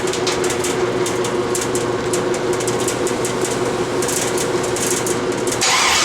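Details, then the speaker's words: LS swap with homemade headers, first start: rough, uneven running with irregular sharp popping, a misfire. "It's popping. It's not running right."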